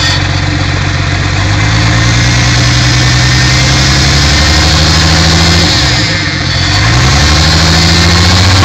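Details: Mk3 Toyota Supra at almost 100k: sharp regular knock about four per second under the idle drone, speeding up with a quick rev blip; rod knock, worn rod bearing.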